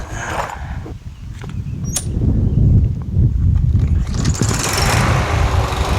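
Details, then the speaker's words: Yard Machines MTD push mower with Briggs 550EX Ready Start auto-choke engine. It had surged and run rough; after a carburetor clean and a guessed replacement spring, a quick pull starts it to a steady, even idle with no surging. "Sounds great after that carb clean, you know what I mean?"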